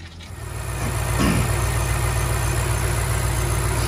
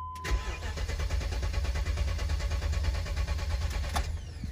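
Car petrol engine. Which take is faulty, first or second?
second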